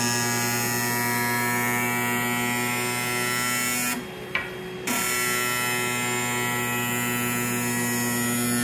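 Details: Sparx sharpener motor: steady buzzing hum with a sharp tonal edge, cutting out briefly and returning unchanged; noisy motor, cause unclear.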